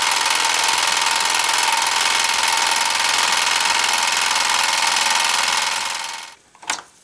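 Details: Small repaired steam engine, piston freed after an acetone soak, heated by a three-wick methylated-spirit burner, gives fast, even chuffing about three and a half beats per second with a bright hiss, then winds down; running normally.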